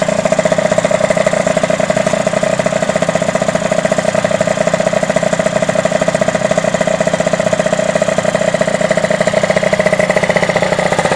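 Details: Derbi DRD 03 two-stroke, first start after a full engine restoration: a steady, crisp idle with a rapid, even beat and no misfires or rattles; sounds healthy.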